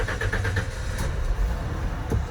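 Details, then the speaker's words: 1994 Ford F-250 4.9L 5-speed work truck: brief cranking chatter, then low uneven catch and stumble on a rough hard start; truck bogs and bucks under throttle, later solved by replacing PCM and fuel pump. "All right, so that was kind of a rough start. Usually it starts a little bit better than that."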